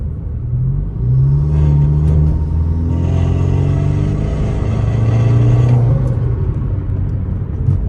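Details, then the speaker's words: BMW F30 under hard acceleration, with the camera underneath at the middle of the car: a gritty scraping over the engine rumble. A failed retainer clip lets the parking brake cable rub the driveshaft; heard only under hard throttle. "So that's kind of the noise. That's the e-brake cable hitting the drive shaft. That's not what you want."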